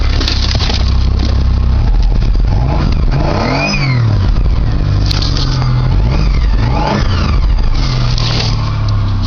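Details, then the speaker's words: 1995 Dodge Avenger 2.5 V6 cold start in deep snow: engine catches and runs, revs rising and falling smoothly with no knocking or misfire; it started right up, with a fair amount of smoke afterward. "Let's see what she says. It is a dog, so it shouldn't be a problem. Alright. Oh, it started right up."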